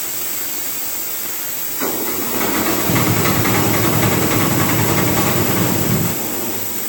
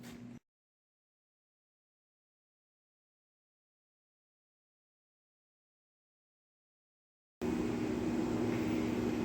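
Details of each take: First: CompAir mobile air compressor diesel engine, fuel bled to injectors; it chugs along under a loud, rising hiss that swells for several seconds then eases, starting out okay then worsening. Overheating from coolant loss, suspected radiator problem. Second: CompAir mobile diesel compressor, idle screw adjusted to stop stalling, air valve open so no pressure build, block heater cord missing; after several seconds starts to steady even low idle, no misses or knocks, still a bit hard to start; normal idle.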